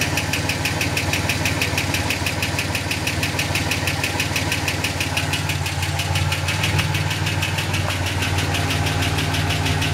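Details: Ford EF Falcon XR6 idling: steady mechanical ticking/flapping about three ticks a second, seemingly from flywheel/gearbox/extractors-cat area under car, worsening over time; first dismissed as exhaust leak; pace rises with speed; cause unknown.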